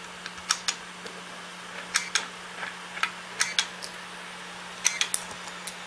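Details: Hard drive knocking: irregular sharp clicks, several per second then pauses, over a faint steady hum as the drive keeps seeking. Hard drive clicking.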